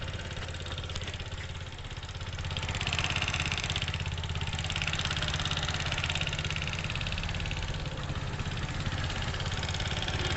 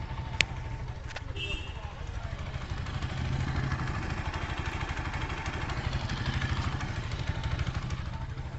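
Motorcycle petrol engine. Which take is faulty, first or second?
first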